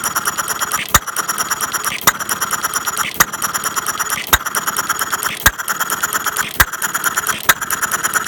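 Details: Half-scale Domestic side-shaft hit-and-miss model engine, 9-inch flywheels, make-brake ignition, gravity-fed fuel, set to run fairly slow in cold weather; sharp bang about once a second with light clatter between, healthy.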